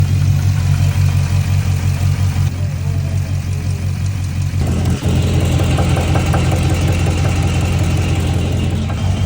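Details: 6.4 Hemi V8 Dodge Charger SRT8 idling with a deep, loose rod knock, roughly three a second, getting heavier as revs rise slightly.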